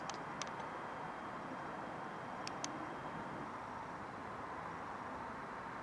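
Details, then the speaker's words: Fiat Panda 4x4 Sisley driven after replacing a front wheel bearing and outer CV boot: smooth, even road noise at speed with no hum or growl. No weird front wheel noises anymore; all quiet. "no weird noises coming from the front wheel anymore it's all nice and quiet now"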